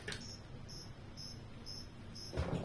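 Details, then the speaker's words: Laptop charger with a short-circuited output cable making high, cricket-like chirps about twice a second, like a cricket farm. "escucháis parece que en vez de tener un cargador tenemos un criadero de grillo"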